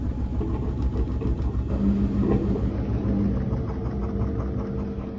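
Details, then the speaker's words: Koenic KWM 8212 A INV washing machine spinning 7 kg laundry at 1000 rpm: steady low drone, smooth, no rattle or knock; earlier rattling gone after a few washes. "So, jetzt hört ihr sie schleudern mit 7 kg Wäsche. Sie schleudert mit 1000 Umdrehungen."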